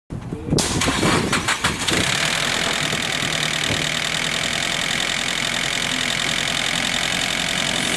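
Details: Nissan SR20DET: engine cranks and catches, then busy idle with a harsh metallic rattle over it; source not pinned down.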